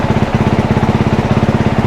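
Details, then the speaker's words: One-owner 2022 dirt bike with about 25 hours, oil changed regularly: quick, even single-cylinder pulses about fourteen a second, steady and smooth with no knocks; healthy idle. "Change the oil all the time, runs great, sounds good, and should be ready to rock as soon as we get her together."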